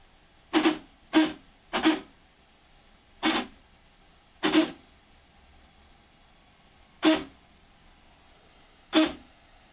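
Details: 3D printer Z-axis motors: one side moves with loud, sharp irregular clunks as the stepper skips, the other stops after 3/16 inch; binding was traced to the bed not being level on all four corners.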